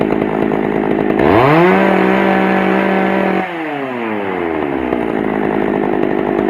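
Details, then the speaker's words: Pioneer P41 chainsaw after carburetor cleaning and adjustment: fires and starts easily, revs up crisply, holds a clean steady pitch, then drops back smoothly with no stumble. It runs well. "so there you go she's up and running i adjusted to where i like it"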